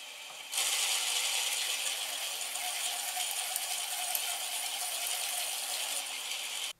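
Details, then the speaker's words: Homemade ball bearing (Marinov) motor with degreased roller bearings, wooden flywheel, microwave-oven-transformer low-voltage high-current supply, slightly undersized wires, flywheel hand-spun before power: steady high-pitched rattling whir speeding up, no stalling; runs fairly well, normal running. "my wires are also a little small for the current but it runs fairly well"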